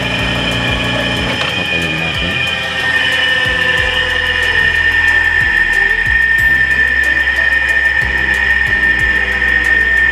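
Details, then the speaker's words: Electric motor with hard starting, tested without its capacitor: steady electrical hum with no run-up, stalled until spun or nudged by hand; fitting a new capacitor should let it start on its own. Finding: hard starting. "In this case, wala itong capacitor, pero pag nilagay natin yung capacitor, dapat automatic na aandar."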